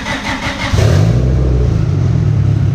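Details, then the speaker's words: Built turbocharged EG Civic with GSR engine on the dyno, running rich: engine holds at one high speed with fast, choppy stutter as the two-step launch limiter cuts in. "it said like 57 what two step at 57 yeah just so it sounds good when you hit it like that"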